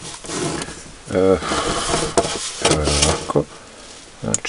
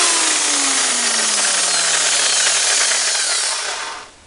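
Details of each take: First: Electric drill running at full speed with a harsh, rattly, uneven whine and a violently shaking chuck, caused by a worn bushing in the gearbox (reduction gear housing), before repair. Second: Electric hammer drill after replacing the faulty gearbox bearing bushing runs with an even, steady whine, no rattle or chuck wobble, and winds down smoothly; previously noisy with a shaking head, now working normally.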